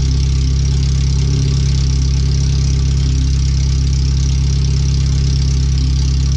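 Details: First startup after replacing the header, fuel filter and differential bushings and seals, with O2 sensors moved and no exhaust fitted past the header; the computer read 5-7% rich. A very loud, deep, steady idle with a fast blatting pulse and no muffling; open header, far too loud.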